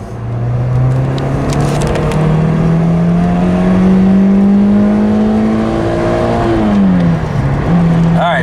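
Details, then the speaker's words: VVT-i engine, warmed to operating temperature, making a full-throttle pull on a test drive. It pulls well with a rising note, but the VVT-i never kicks in and there is no switchover burp; the cause is unknown. "right vvti definitely did not kick in she moves all right through the Rev range though but we did not get our vvti"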